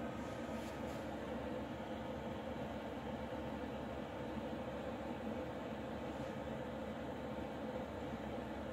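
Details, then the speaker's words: Externally mounted under-chassis Eberspächer/Webasto-type parking heater, about 2500 W, about 3 minutes after start, air starting to warm; phone about 1 m from hot-air outlet. Soft steady blower whoosh with faint low hum; normal heater operation. "Alors bon, ça fait un peu un bruit d'hélico qui arrive ou qui se lance, au choix. Bon, bruit de soufflerie quoi."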